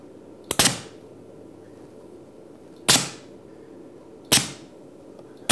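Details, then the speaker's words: 5-way 2-position 24V pneumatic solenoid valve driving a double-acting cylinder: four sharp clacks, each followed by a quick hiss of exhaust air a second or two apart, as the cylinder extends and retracts. Normal solenoid valve cycling. "Now, what should happen when I switch on the valve is the cylinder should extend, and then when I switch it off, it should retract."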